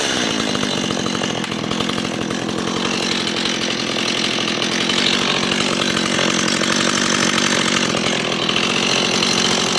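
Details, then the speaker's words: New Stihl MS170 chainsaw runs with a steady, even high-pitched two-stroke buzz, no misfires or surging: normal, healthy running. "it fired right up and cranks up one or two pools I mean it's a steel what you expect"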